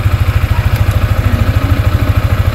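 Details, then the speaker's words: Sniper 155 in neutral, idling while fitting a manual cam chain tensioner with bolt loosened: steady single-cylinder idle with fast, even clatter on the firing beat; loose timing chain, quietened by tightening the bolt clockwise. "So pag narinig nyo, di ba maingay pag nirelease nyo. Ayan. Paingayin nyo muna siya tapos sa kanya i-ganito."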